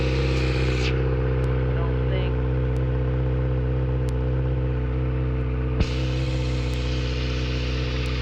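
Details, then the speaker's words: Kawasaki ZX6R being rebuilt, idling after a cooling-system leak check: steady, smooth idle, no knocks, misses or hunting. Still smoking; owner unsure if from sitting too long or the radiator. Oil level good, no leaks found. "seems to be running good except it's still smoking so I don't know if it's from sitting too long or if it's from the radiator"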